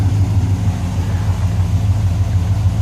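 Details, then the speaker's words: 1964 Chevelle Malibu convertible V8 idling cold, oil pressure just under 40 and 66 degrees at the water pump: low, steady, even burble with no knocks; sounds good, a normal cold idle. "temps not coming up yet and sounds pretty good showing 66 degrees still at the water pump"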